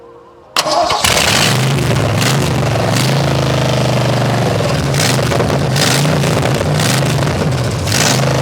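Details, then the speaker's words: Nissan S14 with 5.0 V8 swap, resealed engine, distributor, new two-barrel carburetor, open headers: bowl filled and throttle pumped, quick crank, fires at once into a loud, lumpy, even idle. Cranks very easily, normal start. "as you guys have just heard this thing cranks up very very very easily"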